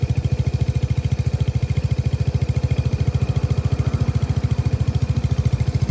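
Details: Lexmoto Nexus 125cc single-cylinder motorcycle, close-up: thumping at roughly three and a half beats a second with a slightly rough pulse from a faulty, misfiring engine.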